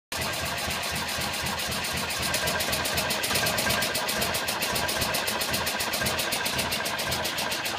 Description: Compression around 11-12 cold, spark and fuel but she just wont go